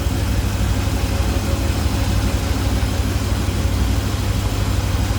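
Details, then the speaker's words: 1978 GMC Sierra K10 4x4 V8 with four-barrel carburetor, HEI ignition, headers, warmed up and off high idle: deep steady burble, even beat, no misses, knocks or ticks; runs smooth, healthy idle. "runs smooth looks good sounds good underneath there listen to that baby purr"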